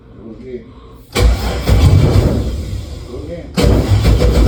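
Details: Start of a 1965 Impala V8 build after wiring was finished: cranks, catches after about a second into a deep, lumpy rumble, then a throttle blip; runs good, though there is a problem with the headers.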